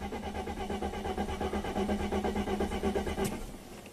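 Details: 1995 Mercedes-Benz E320 wagon, 3.2 L inline-six, 285k miles: even cranking at about three compression pulses a second and it never fires; crank-no-start, owner reports no spark, while the scope shows injector pulse.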